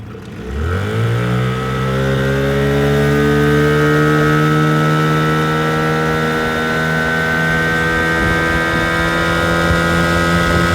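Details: 1980 Evinrude 15 two-stroke outboard after carb rebuild, new water pump/impeller and fuel pump rebuild, first hole shot: winds up fast to a steady high buzzy full-throttle drone with no misses or knocks; healthy.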